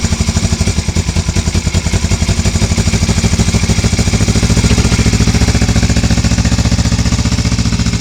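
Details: 1982 Suzuki GS450T, 8,362 miles, cold start after sitting all winter: strong even exhaust pulses at a steady fast idle that settles smoothly; engine runs healthy.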